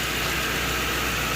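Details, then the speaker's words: Lincoln Town Car V8 after replacing the cylinder 6 coil pack for a misfire: steady even idle with smooth low hum, no stumble or miss; engine running clean and healthy. "ah smooth yeah sounds good nice and smooth okay"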